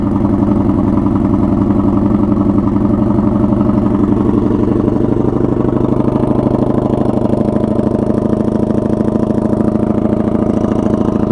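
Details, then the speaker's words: 1982 Honda Magna V45 VF750C V4 on choke with makeshift straight pipe, cold start: lumpy idle with loud open exhaust bark, firing pulses even and steady; fires up without problem, runs cleanly (owner thinks carbs need synchronizing). "Okay, there we go. She has no problem firing up."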